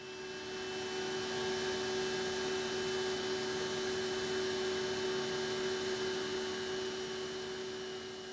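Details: BOGE high-speed turbo compressor running, about 10 dB quieter than a conventional oil-free screw compressor: quiet, smooth hum with one steady mid-pitched tone over soft airflow, no rattles or pulsing; healthy operation.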